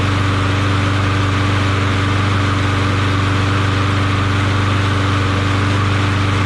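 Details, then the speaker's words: Craftsman push mower after swapping badly knocking Tecumseh Vector 6.75 for Briggs Quantum engine, engine not yet bolted down: steady even drone at constant speed, no knocks, misses or rattles; runs smooth and quiet. "Now that's what I'm talking about. Now I feel good about it. Now this engine runs smooth and quiet and nice, you know."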